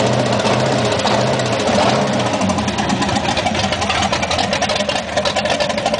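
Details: V8 idling on all 8 cylinders at first start after fixing a faulty plug wire that caused a misfire; light, fast ticking rides over the steady idle with no misfire stumble, tick source still unclear.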